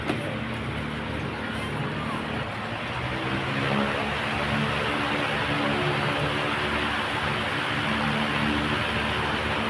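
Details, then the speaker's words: Oscillating desk fan after replacing the faulty swing gear that caused knocking and stop-start swing: even airy whoosh, no ticking or clicking, head swings smoothly and continuously. Normal running after repair. "Tingnan niyo po mga brad, oh, pati swing niya dire-diretso na."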